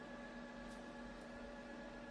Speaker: We are about a foot away from the camera here, and the idle fan isn't loud at all, so that's good.